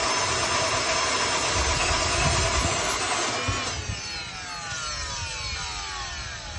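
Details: 2008 Mercedes-Benz GL450: starter turns the engine over at a steady beat for several seconds but it never catches; crank, no start, cause unknown.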